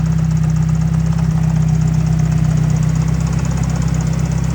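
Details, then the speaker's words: Mazda Miata engine: heavy, regular knocking at about four per second over the idle, loud and deep in the block. Owner suspects a valve or piston rings; the engine is being pulled. "So, since you just saw that, the motor is knocking pretty bad. Could be a valve, could be piston rings just saying goodbye."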